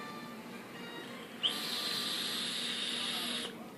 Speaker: Now you can't hear it now because I got the head of this cotton strategically placed close to the air holes. Now if they weren't there, it would be menacing loud.